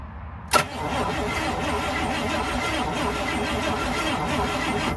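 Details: 1955 Buick, 322ci Fireball V8, Dynaflow, revived after being abandoned: starter churns steadily about four seconds and the engine never catches; no fuel reaching the carburetor.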